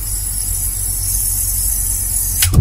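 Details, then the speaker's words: Sanyo shallow-well water pump: steady hum, then a sharp thump and jolt as it shuts off, a pressure surge slamming back through the piping that shakes pump and pipes each on/off cycle; water hammer. "Istilahnya itu adalah water hammer. Ya, ini akan terus terjadi ketika pompa itu mati nyala. Jadi ketika nyala dia normal, kemudian ketika mati dia akan terhentak."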